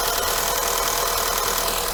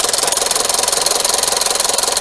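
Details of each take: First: Skoda Yeti 1.2 TSI turbo petrol chain engine after replacing the timing chain, tensioner shoe and oil pump chain to cure loud knocking and valve-cover rattle, on its first full start: light, even, much quieter idle with a faint pump tick; the high-pressure fuel pump is still to be checked. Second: Skoda Yeti 1.2 TSI turbo petrol chain engine at idle: a loud, fast, even metallic rattle over a harsh top end, owner's complaint of a terrible knock; stretched timing chain, chain replaced.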